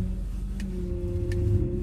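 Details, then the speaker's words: Old Lexus idling: steady, fairly low whining squeal that also occurs when turning the steering wheel; the power steering fluid reservoir is dry, and the fix is topping up the fluid. "它吱吱在响。这个吱吱响呢，就是你在打方向盘的时候，它会吱吱响。"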